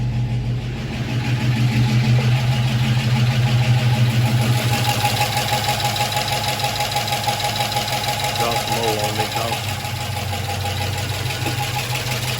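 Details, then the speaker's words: Gen 3 5.3 LS V8 without DOD/AFM, just restarted after replacing faulty lifters with new customer-supplied lifters and a fresh oil change: fast, even ticking over the low rumble at idle, new lifters chattering before they pump up. "see how these new lifter s normally they do chatter for a minute until they pump up on any new stuff whenever you do it so don't let that scare"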